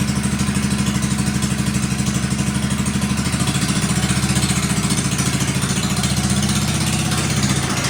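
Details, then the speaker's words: 1957 Wheel Horse RJ35 garden tractor after sitting 5+ years, moving during a drive test: single cylinder thumps at a steady, even beat, no misses or knocks; normal running. "there you have it runs and moves that is so exciting sorry it's kind of out of the frame there but yep runs and moves she's a winner"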